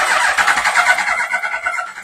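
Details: Yamaha R1, carbureted, off road about 5 years, fuel pump plugged in, sprayed with starting fluid: ragged choppy bursts as it catches about two seconds then dies; owner suspects ignition issue, carbs leaking and need rebuild. Rough running.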